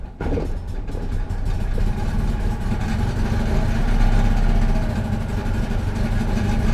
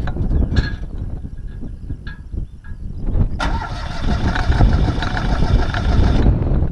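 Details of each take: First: Citroen 2CV twin after carburetor cleaning for cutting out and hard restarting following running the fuel tank low: putters at a slow, slightly uneven idle with a soft chuffing beat; idle set very low, adjusted up slightly, possible gummed-up petrol remaining. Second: Citroën 2CV after running the tank very low: starter churns with uneven bursts, then the engine catches and runs roughly; fuel starvation, fuel pump tested fine, owner suspects a clogged needle valve or hanging float, carburettor bowl found empty.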